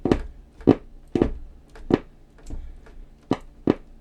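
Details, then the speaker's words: 1970s Grundig RF 440 GB table radio; audio cuts in as short bursts and drops out, suspected flexed board with a cracked track or dodgy connection, board to be removed and inspected. "so it feels to me like the the board is flexed somehow and it's got a dodgy connection because sometimes I get"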